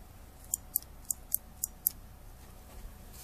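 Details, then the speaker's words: Jackrabbit Devices throttle trigger for a 2-stroke dirt bike, opened: pulling the finger cradle all the way in trips the safety cutout switch that interrupts spark. It gives six crisp mouse-like clicks, operating normally. "when you pull this in you can hear a sound of basically a computer mouse click that's what it sounds like"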